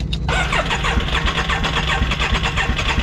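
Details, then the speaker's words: Can-Am X3 side-by-side that overheated a mile into a ride: cranks, catches and settles into an uneven, pulsing idle with a wet rough edge, like water gushing; coolant found in one cylinder, engine blown. "It was running. You can hear there's definitely something wrong. No, it's... You could almost hear when she started. It sounded like water gushing somewhere."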